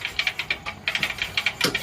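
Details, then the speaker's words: Diesel Bullet (Taurus) motorcycle kicked over before firing: sharp, light metallic "takke takke" ticking, about six a second, from cam gears rattling against each other; the fix requires removing the clutch side of the separate diesel engine. "ആ ശബ്ദം എന്ന് പറഞ്ഞു കഴിഞ്ഞാൽ ക്യാമിൻ്റെ ഗിയറുകൾ തമ്മിൽ ഒരയുന്ന ശബ്ദമാണ്."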